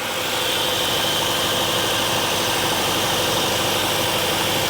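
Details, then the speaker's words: 2016 Kia Optima Hybrid, replacement engine after a thrown rod and fire, just started: steady, even, hiss-laden idle with no knocks or misses; some steam from the exhaust, and the engine runs to charge the low hybrid battery. "There it goes. She's running pretty smooth. So, got some air."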